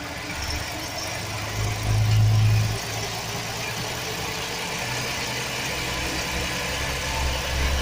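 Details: 2007 Chevy Express 1500 4.3 V6 idling: loose, uneven metallic rattle low near the bellhousing with one louder patch and no clear rhythm; attributed to a bad starter motor gear bumping the flexplate, not confirmed.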